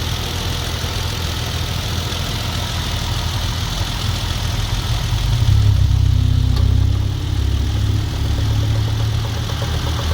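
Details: Hyundai Genesis Coupe 3.8 V6, cold winter start and idle: a clicking knock that swells for 5–10 seconds, fades and recurs. An accessory belt part or the A/C is suspected, with a refrigerant odour at start; the fan is ruled out.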